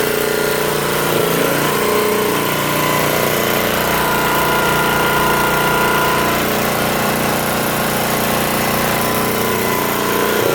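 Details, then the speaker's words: 1972 Montgomery Ward generator made by Pincor, after new air filter, rebuilt carb, new fuel line and coil swap, good compression: steady, even small-engine drone at constant speed with no misses or surging; normal running. "I'll start it up for you right now it's got pretty good compression on it"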